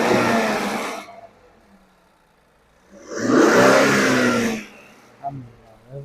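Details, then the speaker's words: 2018 Infiniti Q50 after timing chain, guides, tensioners and sprocket replacement, fresh oil: two clean revs rise and fall smoothly with no rattle; the loud chain noise previously heard on revving is gone, engine sounds healthy. "Sounds very good. Yeah. Before what was happening was really loud chain noise."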